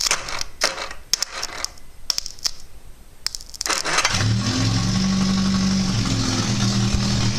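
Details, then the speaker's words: Triumph Spitfire 1500 with overdrive, a rolling and running chassis with a battery fixed to the side, started via a wire to the coil and the starter: a few clicks, then it catches at about four seconds into a steady, even, healthy idle. "If I put that onto that coil and I touch that starter on, there we"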